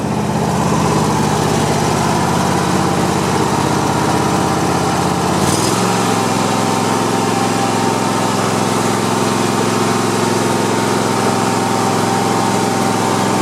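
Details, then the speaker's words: Cub Cadet i1050 zero-turn mower with Kohler engine, after burning off old gas, running on fresh gas: steady, strong drone with even beat, one pitch shift, then smooth; running healthy with no misses. "so so all right so it's running pretty good just you know burned off all the old stuff and uh and i just put new gas in it"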